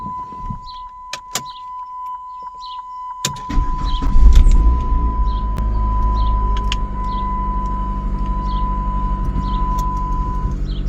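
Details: Chrysler PT Cruiser convertible, check-engine light on, worsening misfire later read as P0302 cylinder 2. After clicks and a chime the engine catches and idles with an uneven, stumbling beat about three pulses a second; misfire.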